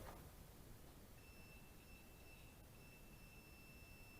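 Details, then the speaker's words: 1972 Ford Mustang Mach 1 alternator, previously sandblasted and painted, tested with a continuity meter; after a brief lead touch a steady high-pitched beep holds; alternator shorted to ground internally, cause suspected at case, brushes or a bad diode. "as I suspected it's shorting to a ground it's something inside that alternator is grounding our on either the case or you messed up something on the brushes or maybe it's got a bad dialed in or something"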